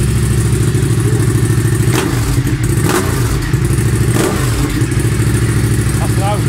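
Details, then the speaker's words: Honda Civic Type R EP3 with K&N filter and very loud aftermarket exhaust, driving under throttle: loud exhaust note with uneven, stumbling pulses and dropped beats; bad misfire. "the misfire issue is it's bad when I gotta be honest"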